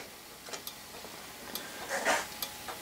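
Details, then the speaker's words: Old-style thermal turn signal flasher on a bench with a battery and bulb, started by a knife switch: light, crisp metallic ticks about every half second with no buzzing, a metal strip changing shape to open and close the contacts; normal operation. "so this is nothing more than a little switch is all it is that's opening and closing due to a small metal strip that is uh changing shape"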